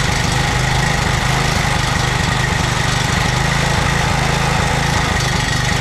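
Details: 2007 McLane reel mower small single-cylinder engine after a carb clean, on choke at fast throttle, running on fuel poured into the carburetor bowl with no tank fitted. Fast, even buzz with no misses or surging; normal running.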